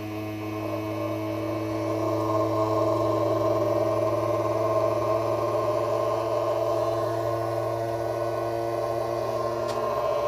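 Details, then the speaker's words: Creality Ender 3 V3 Plus 3D printer, bought at a returns auction and rebuilt with swapped parts, at first boot during its startup self-check: a loud, steady droning buzz swells and holds, far harsher than normal, violent-sounding vibration; the source is unclear, and a stepper or a repaired wire is suspected. "What's that sound though? Something just sounds straight up violent. Like it wants to blow up."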